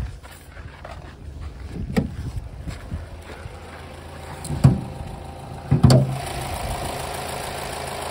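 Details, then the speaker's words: 2011 Opel Astra J 1.6 manual, engine bay, idling: low even hum with no ticks or knocks, running smoothly without extraneous sounds; normal idle. "капотом у нас чистенько двигатель работает ровно без посторонних звуков"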